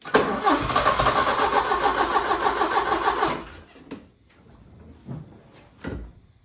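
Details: 1980 Porsche 924 Turbo, new fuel filter: even cranking about three seconds, brief catch, then stops, a few weak tries follow; likely fuel starvation, injectors and fuel pump to be checked.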